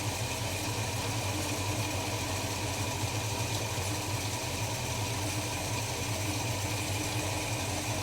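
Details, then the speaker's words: Holden HK after new spark plugs and oil change: low, slow, fairly even idle rumble, no knocks or misses; owner sets a very low idle, running smoothly. "that sounds about it to me I like to run a very low idle"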